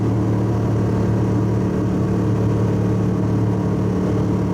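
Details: Subaru wagon daily driver, in-cabin at freeway 100 km/h, 3,000–4,000 rpm full load: constant deep droning boom from its fiberglass-packed, roughly 14-inch X-Force straight-through muffler, before replacement with a Lukey Turbo muffler.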